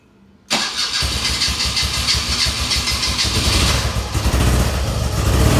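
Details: BMW R65 airhead, hard starting needing choke and lots of throttle: catches abruptly then lumpy, uneven idle; owner suspects running very lean, left side popping with light visible from intake.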